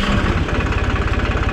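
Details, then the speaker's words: Massey Ferguson 266 tractor diesel after full rebuild: even, steady idle chug with evenly spaced firing pulses and no knock or miss; owner calls it very smooth running. "çok güzel oldu şöyle göstereyim çok yumuşak bir çalışması var"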